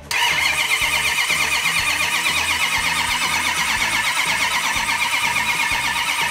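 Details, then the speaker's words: V8 in a fire-damaged Hemicuda, cranked over with the ignition off so the camshaft-driven fuel pump primes the vapor separator, carburettors and accelerator pumps: fast, steady cranking at about two beats a second, no firing, no knocks or grinding, normal cranking. "hang on i crank that engine over until i have fuel all the way up through the fuel vapor separator into the carburetors and spraying through the accelerator pump system"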